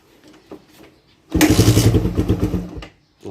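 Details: Carbureted Suzuki Raider 150 motorcycle: after quiet, engine coughs into a lumpy uneven burst for about 1.5 seconds then dies – hard starting.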